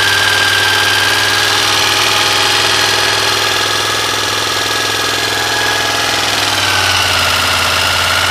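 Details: 1986 Honda VFR400 NC21 V4 motorcycle idling with a fast light knocking, roughly three or four a second, over a thin whistling tone; source unclear.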